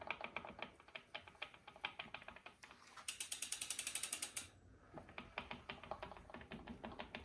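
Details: Brand-new Bafang M620 1000W e-bike mid-drive, cranks turned backwards: rapid, even ratcheting clicks, several per second, with a brief louder burst midway; owner questions whether normal, since a BBS02 makes no such noise.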